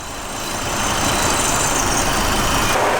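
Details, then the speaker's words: Hot engine idling loudly with an uneven, loping beat, about four pulses a second, while Seafoam is drawn slowly through a vacuum line into the intake. This is not a massive vacuum leak. Rough idle from Seafoam. "but it's gonna run a little bit rough so you can hear that it's running a little rough that's not this kind of massive vacuum leak"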